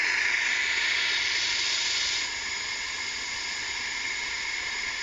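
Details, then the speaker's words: CCM pump paintball marker, leak down the barrel simulated on a T2: steady thin hiss of air leaking down the barrel, easing slightly, meaning the valve o-ring needs replacing or debris needs cleaning. "you hear that slight leak down the barrel what that means is that sound especially if it's very slight generally means that this o-ring needs to be replaced on the um valve"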